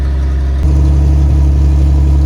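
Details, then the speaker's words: Toyota FJ40 with 77,000 miles, carbureted, idling while warming up and breaking in the differentials: steady, deep, loud idle rumble with no clear misfire; owner suspects the carburetor needs a rebuild, or a vacuum leak plus an exhaust leak. "Because the carburetor probably needs a rebuild. Or we have a vacuum leak along with an exhaust leak."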